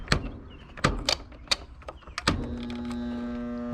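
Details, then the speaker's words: Roper washer motor, capacitor and lid switch reconnected, in spin cycle; a few hollow clunks then a steady deep hum, motor won't self-start until turned by hand; windings not burnt, start capacitor suspected. "you can hear it hum nothing's happening but if i give it a little turn"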